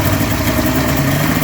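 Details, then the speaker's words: Polaris two-stroke twin snowmobile after new fuel pump fitted, fuel lines off to the carbs while cranking: lumpy, uneven idle with a missing beat, running on one cylinder only. "Look, it's riding on one side."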